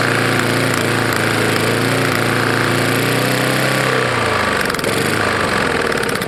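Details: Roadside-found Lawn-Boy mower, 149 cc non-OHV engine, running rough: hard metallic rattle over the idle, choppier near the end; owner suspects a bad lower end or piston hitting the head from ingested dirt and grass.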